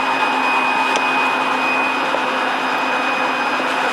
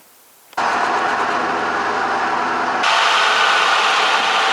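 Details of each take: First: Lincoln Navigator 5.4 DOHC engine, freed after seizing (a ring broke when forced), with a junkyard aftermarket fuel pump and repaired wire: steady, even high-pitched fuel pump buzz with no surging or rattling; normal fuel pump operation. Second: Formerly seized 5.4 DOHC Ford V8 from a Navigator, freed up and started: it catches after a brief crank and runs loud and ragged with an uneven beat of roughly four a second; internal damage is suspected.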